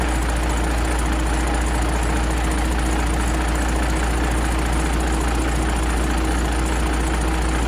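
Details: 12-valve Cummins diesel after exhaust manifold replacement and retightening a loose V-band clamp: steady, even idle with deep low rumble, no puffing or ticking at the manifold; exhaust leak appears gone, sealed.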